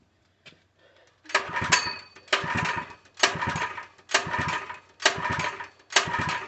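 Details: Open-box Harbor Freight 3HP small engine (SKU869733), full of oil: six hard recoil pulls, each a short rattling spin-up that dies away, never catching. No-start; the owner suspects fuel delivery since it gagged once with gas poured into the carb.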